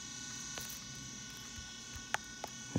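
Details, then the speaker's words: Old iPod with a dead battery, stuck on the Apple screen: a thin steady whir with occasional sharp clicks as the tiny hard drive spins without booting. Suspected stuck hard drive. "it sounds like it's trying to make coffee they're like click and it's like a hard drive stuck like a little hard drive in there just winding"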